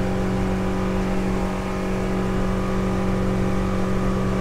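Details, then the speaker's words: 2005 Hewescraft 180 SeaRunner, Honda 90 outboard with 686 hours, at full throttle trimmed up, about 6000 rpm and 29 mph: steady high-pitched drone held flat, no surging, misses or rattles; healthy running. "6000 RPMs 29 . there we go we're gonna get 30."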